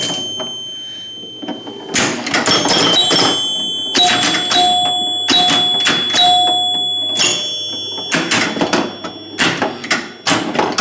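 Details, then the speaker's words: Rebuilt chime unit on an EM Gottlieb pinball machine during play, sounding tens, hundreds and thousands chimes (high to low); clear ringing tones, clean sustained strikes, no buzz; working properly. "But just listen, you'll hear low, medium, and high. There's hundreds. Hear that 10 in there."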